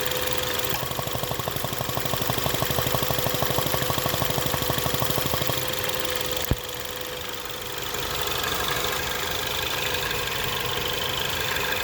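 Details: 2017 Ford Focus ST idling with a fast, fairly regular ticking pulse about three per second over a rough, uneven idle; owner suspects a possible vacuum leak, cause unconfirmed.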